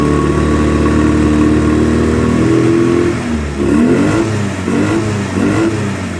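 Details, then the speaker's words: 2009 Polaris Sportsman 800 with fuel injection cleaner added: pitch climbs smoothly through midrange, strong to wide open throttle, blips cleanly; revs well though idle remains lumpy and midrange weak. "but from mid-range up to wide open throttle it runs great as you heard it was revving up really good but uh it's just not quite wanting to idle very well yet"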